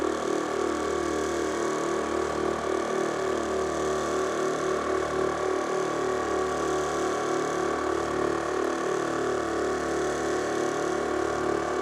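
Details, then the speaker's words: Air ride management system for a 1953 Ford F100, bench-tested on a rig before mounting under the truck: click at power-on, no errors, then steady electric motor hum with even pumping about three strokes a second; compressor healthy. "So this is it powering on, you hear the little click. And the system says it's okay, no errors."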